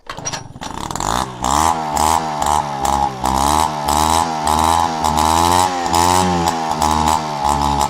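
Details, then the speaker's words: Peugeot 103 RCX moped two-stroke, first start after rebuild and carb cleaning, choke pulled manually: crisp buzz catches after brief crank, blips up and down cleanly and settles; runs healthy. "Carbs are a tricky thing. So this should work. And it fired. Sounds good."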